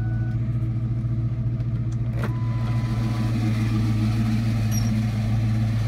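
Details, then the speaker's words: 2004 Ford Mustang GT idling: a loud steady low drone and rough whir from the clutch/bellhousing. Owner and mechanic suspect the throwout or pilot bearing, unconfirmed. "so as you guys could tell the noise is just horrendous I literally cannot explain in any other words um it is just probably the worst sound I've ever heard in my life"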